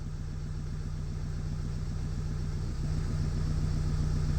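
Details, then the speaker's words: New project's diesel, on a weak battery, idles with steady even clatter, rising slightly and smoothing out; running a lot better, normal idle. "so there we go she's running a lot lot better"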